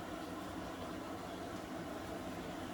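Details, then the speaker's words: Newly installed Bosch dishwasher on its first cycle, filling with no water leaking out: a steady, even rush of incoming water with no knocking or gurgling; a normal fill. "We started spinning yet, are we still filling? Oh, you can see all the water coming in and then no water coming out there. Woohoo!"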